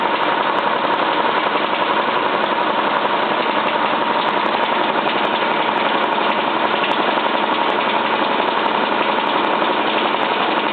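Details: Cylinda 12002 washing machine on its last spin: loud, fairly regular knocking about three times a second over the drum spin; inspection pocket checked and empty, cause unclear.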